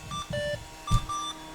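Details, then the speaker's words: 20-plus-year-old Slot 1 Pentium 3 550 MHz PC, powered on by shorting front-panel power-switch pins with a screwdriver after suspected power supply issue: irregular string of short high beeps at switch-on, no clear code; failing power-on self test. "It's not happy."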